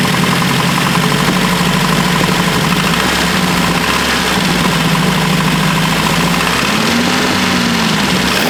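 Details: Opel GT stroker engine at idle: loud idle with a persistent knock buried in mechanical clatter, steady with engine speed; owner suspects a spun bearing, unconfirmed.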